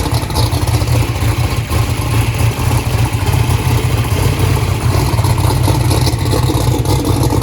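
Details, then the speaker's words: First start of a 427ci small-block Ford built for 2500hp, cold, with 82 psi oil pressure: deep, lumpy rumble with an uneven, stumbling idle beat. Cylinder misfire traced to a loose spark plug wire; the dash also flagged number three not sparking. "we also found a loose spark plug wire that's the reason it was turning on the red light earlier"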